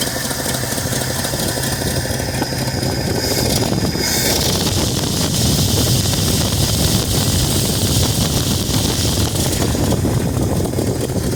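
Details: 1968 Ford F250 V8 pickup, just after replacing a torn gasket: it catches and settles into a loose, lumpy idle with no clear knock, tick or squeal over outdoor noise. Start and idle.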